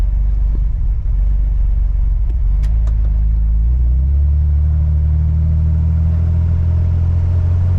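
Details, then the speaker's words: Corvair test drive after fixing a horrible rear rubbing noise (tyre angle, new U-joints, other fixes); steady low road and engine rumble while cruising, no rubbing or revving sound as before, cabin rattles: normal driving, no rear rubbing. "I will say this much, it doesn't have the revving sound that it had last time."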